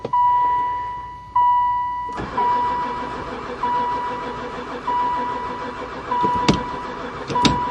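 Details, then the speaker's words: Van sat unused about four years (barely ran before), gas added and poured into intake: steady beeping chime, starter cranks several seconds, never fires; owner suspects no spark, unconfirmed. "Um, I think we definitely got no spark. I give up."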